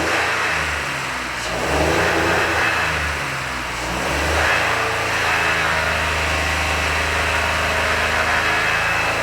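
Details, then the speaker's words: 2005 Honda Odyssey revved after cleaning out second catalytic converter: picks up cleanly on blips without losing steam but tops out early and falls back; owner suspects active VSA (stability assist) is limiting revs. "it's not losing steam like it did before though i have a theory about what might be going on here and why the engine won't rev like it did initially when i brought it in"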